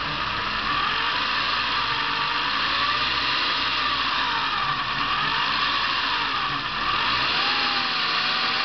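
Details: Saab 900 2.0T, oil level normal, accelerates and starts fine: thin wavering whistle with light chattering over the running engine; fixed by replacing some hoses.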